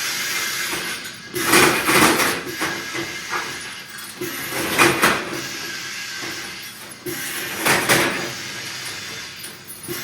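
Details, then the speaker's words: Balcan MK4P pneumatic vial crusher running a bulk load with the counter set to 100 strokes and the adjustable braking chamber preset: sharp glass-crushing bursts with an air hiss about every three seconds in a steady cycle; normal operation. "When the machine goes quiet, you can hear that there's no vials being broken. You can switch off."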